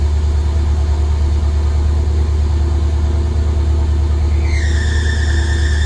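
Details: Rambler V8 with Holley Sniper EFI after 3 years, restart after loose ground fixed: steady idle rumble, then loud shrill squeal holds near end; belt squealing on painted pulley.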